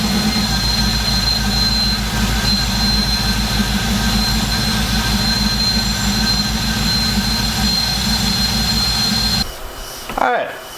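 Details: Silverado/Sierra V8 after installing a cheap eBay oil catch can runs with an uneven idle and thin high whistle from unmetered air drawn through an open breather; removing the breather and plugging it fixed the rough running.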